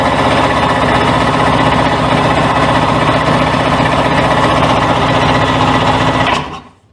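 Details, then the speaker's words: 1998 Sea-Doo GTS after spark and compression checks and new fuel lines, filter and selector: fast, even cranking about four beats a second that never fires, then stops; cranks but won't start, carburetor suspected, not confirmed. "difference so that's what I mean when we have a no start"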